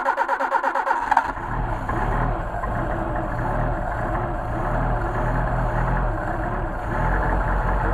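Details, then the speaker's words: Mercedes 190SL with tested Solex carburetors, cold start on choke after priming float bowls and a few throttle blips; about a second of even cranking, catches cleanly and settles into a steady, smooth idle, idle rising as choke moves. "as I move the choke the idol increases that's because there's a bit little lever I said I showed you that earlier how's that for a cold carburetor Hilda settles right into an idol madam"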